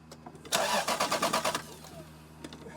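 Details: Lexus LS 430 cranking but not starting, no spark at the four-wire coil, battery getting weak; about a second of quick even starter chugs that never catch, then silence; crank no start.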